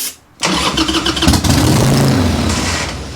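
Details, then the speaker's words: Harley Sportster that sat for years, cranking with the choke out and the throttle held open: starter spins the twin with uneven firing attempts that never catch into an idle; cranks but won't start. "Try again? It's just gonna do that. It's not gonna run. It's not gonna run, right?"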